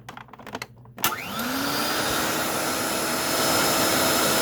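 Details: Electrolux LE vacuum after cleaning out and replacing worn parts, no filter fitted, rocker switch sometimes sticks: a few clicks, then the motor spins up with a rising whine into a smooth steady roar; normal vacuum motor running.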